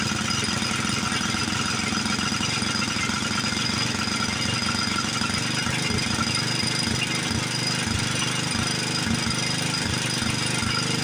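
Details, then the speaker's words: Old Montgomery Ward 32 lawn tractor, pull-started with the carb ultrasonically cleaned, a new plug and the choke set. It runs rough and uneven with irregular thumps and heavy smoke; the owner suspects the carb needs replacing and possibly worn rings. "Well, it runs. It doesn't run very good. The carburetor didn't clean up like I wanted it to."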